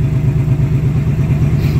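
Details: 2019 Ford Mustang Gen 3 Coyote V8, Vortech V3 supercharger, 3.6 pulley, about 11 psi, pump gas with octane booster, after replacing 10,000-mile spark plugs suspected of causing an intermittent miss: deep even burble, firing cleanly at idle.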